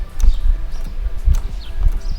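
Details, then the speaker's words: Hydraulic directional valve operated by a professional radio remote, section activated with indicator lit: a few crisp dull clicks, the remote's internal relay snapping then the valve spool shifting, no buzz; normal relay and spool actuation. "Et écoutez bien, on entend le tiroir claquer. Alors les deux claquements, le relais puisque à l'intérieur de la radio, c'est un système de relais et et il y a aussi des fusibles de protection plus tiroir."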